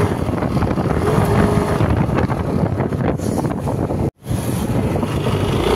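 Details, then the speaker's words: New Yamaha NMAX scooter that can't climb hills, revving with a rough, uneven drone that doesn't pull cleanly: CVT belt slipping on a clutch contaminated with oil from a leaking crankshaft seal. "dan seperti itu bunyinya nanti kita akan cek apa permasalahan yang mengakibatkan nmax new ini bunyi seperti itu bunyi slip ya teman"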